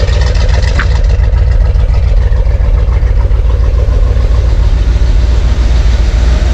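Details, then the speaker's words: 1971 Corvette convertible V8 under restoration, with valve covers just refitted and timing not yet set with a timing light: loud, smooth idle with a steady low rumble and no ticking, knocking or stumbling; normal idle. "Smooth as a dream."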